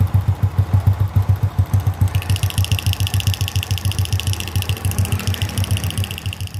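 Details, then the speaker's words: Honda C800 (C100-based engine) idling: thin, bright metallic ticking in step with the engine from the flywheel magnet block; valve adjustment did not cure it, traced under the magnet cover. "Sudah saya coba setel bagian klepnya, tapi suara itu tetap muncul. Dan setelah saya buka bagian penutup magnet, ternyata suara itu muncul di bagian blok magnet."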